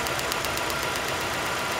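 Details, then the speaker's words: 2002 Nissan Sentra 1.8L with P0300: sharp, regular snapping about eight times a second over a quiet idle. With the coil lifted, spark jumps outside the plug to a test light; it had been arcing in the plug hole, nearly a dead cylinder. "we see that the spark is actually jumping to this test light so this is why we need all this vehicle was misfiring it was arcing inside the spark plug hole"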